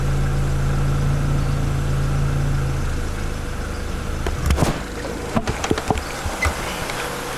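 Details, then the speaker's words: Honda EF sedan on the old automatic ECU, code 19 (AT lockup solenoid) set: low, steady idle running evenly, decently smooth, though owner says idle needs adjustment and probably base timing resetting. "So it looks like old girl is running decently smooth. Needs a little bit of adjustment on the idle and probably set base timing again."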